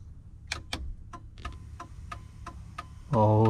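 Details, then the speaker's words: LED turn signals after a wiring fix for hyperflash, tested before reassembly: crisp clicks about three per second at a steady, normal blink rate; flasher now works correctly. "Sounds like we got it. Everything is blinking the way it should."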